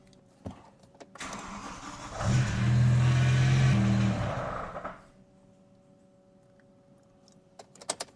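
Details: BMW M5 V10 after rod bearing service, moved off the hoist: engine catches, runs a few seconds, sags and dies repeatedly despite fuel in tank; fuel pump fuse had been reinserted in the wrong spot, causing fuel starvation stalling.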